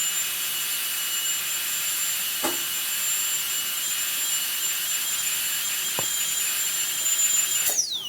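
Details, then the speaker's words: Inovadent dental unit high-speed handpiece turbine run after cleaning with Bio-Lube cleaner and oiling with nano lubricant: steady, very high-pitched even whine, the turbine singing smoother and picking up speed; normal running. "And when I press on here, you'll hear it, the singing of that turbine will change a little bit to a more of smooth. You can hear it pick up speed."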